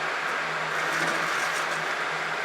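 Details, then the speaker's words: Minitrix N scale DC locomotive run on a DCC layout after a tune-up and reassembly: a faint motor hum keeps cutting out unevenly. This is intermittent running from poor track pickup; it may need run-in. "Now remember, we're running a DC locomotive on a DCC setup, but yeah, it's uh still got some pro pickup [Applause] problems, which it had"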